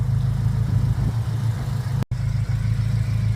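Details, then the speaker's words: 2001 Acura Integra Type R after sitting about 10 years, first start after refresh and valve cover repaint: steady, even idle with smooth low hum, no ticking, stumbling, smoking or overheating; engine running healthy. "It's quiet, everything's working, it's not overheating, it's not ticking, it's not smoking."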